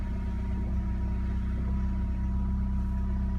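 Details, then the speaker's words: Peugeot 206 at idle after refilling power steering oil that was below minimum: steady low idle with no whine over it; the pump sound is gone, steering feels the same, and the pump now runs quiet. "when is oil now in ok, sound is gone steering feels the same but you dont hear the pump so that is ok"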